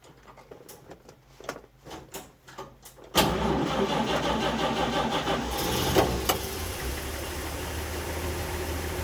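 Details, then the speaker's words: 1946 Chevrolet truck, Stovebolt 216 inline six, original 6-volt system, floor starter button, choke pulled, cold start after sitting a few weeks: about three seconds of even cranking, then catches promptly into a steady idle; normal cold start. "that wasn't too bad now was it here's your uh and throttle we want to let it warm up we don't want to go too much throttle yet"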